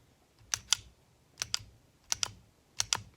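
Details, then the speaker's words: Custom 9mm 1911 hand-cycled: each slide cycle gives a crisp double metallic click as the barrel unlocks out of battery, with no slide-to-frame movement; a tight, healthy lockup. "you can hear that barrel click out of battery every time it comes out of battery listen one more time you can hear it clicking out of battery that's a good thing folks"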